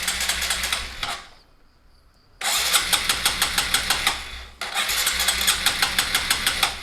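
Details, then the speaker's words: Motorcycle with vacuum fuel tap, fuel hand-sucked into the carburetor, very cold engine, in neutral: starter churns in two short bursts, about three turns a second, never catches; carburetor bowl not yet refilled with enough fuel. "bahan bakarnya belum cukup tarik lagi kita sedot lagi"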